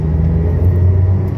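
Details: 2012 Renault Sandero Stepway 1.6 16-valve with manual gearbox, driving after a new engine mount fixed its loud drone and vibration in second gear: smooth, low engine drone with no hum or shudder; healthy.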